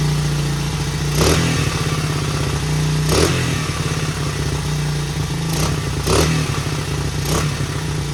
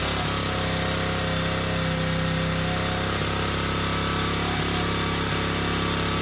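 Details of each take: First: 1977 Honda XL75 single, long-stored, fired on first kick without a carb clean, choke on: even idle thump with several crisp throttle blips; runs pretty good, no smoke, float bowl dribbling, owner assumes bowl gasket needed. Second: 1977 Honda XL75 single-cylinder dirt bike just revived, running on choke: fast, steady idle with a slightly uneven beat that won't settle; throttle is bunged up and sticking, and slight fuel seepage around the float bowl.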